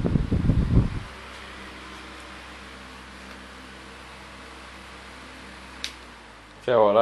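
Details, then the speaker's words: 2004 stand fan, model SSF, with green-blue blades, said to be on high speed; only fault found was a dirty plug. A steady, even low hum with a soft airy whir and no rattle or scrape. Normal running. "but look at how powerful this thing is this is on high speed it's got the old green blue blades"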